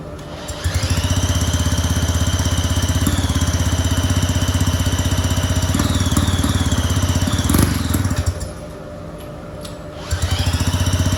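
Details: Rotary-engined go-kart with an open exhaust pipe, which runs well once going but is hard to start, with the carb suspected; a quick, even buzzing beat with a high whine that cuts out near eight seconds and then picks up cleanly, a healthy run.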